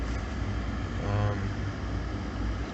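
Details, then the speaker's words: Jeep Liberty at -10°F after a cold start, warmed up at idle: low, even rumble with no stumbles or skipped beats. The earlier misfire has stopped; owner suspects plugs or an ignition coil caused it. Normal idle. "all right so the uh misfire stopped it's running nice and smooth now"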